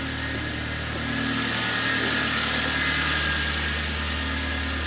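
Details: Kia Cerato with G4FC engine after rebuild for heavy oil consumption and knocking: steady, even idle with a smooth constant hum and no knocks, ticks or misses; normal idle.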